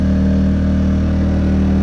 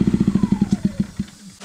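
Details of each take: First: Predator 2000 W inverter generator after a fix for whistling, rough running (common after travel to different altitudes): steady even hum at eco throttle, then winds down smoothly to a stop; runs clean with no misses. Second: Predator 2000 W inverter generator: choppy, pulsing exhaust beats with a faint falling whistle, slowing unevenly until it dies; spark arrestor clogged, common after travel to different altitudes. Rough running from clogged spark arrestor.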